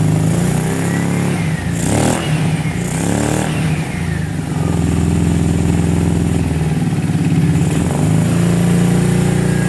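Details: 2006 Kawasaki Brute Force 650 quad, warm, after a valve clearance reset: V-twin idles unevenly with spits, pops and backfires through the front carb, surging and stumbling; clogged fine carburetor passages, fixed by cleaning the carb.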